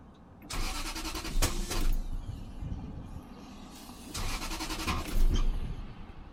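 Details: 1997 Lexus LS400 cranking but not starting: two bursts of even cranking about a second each, starter spins the engine freely but it never fires.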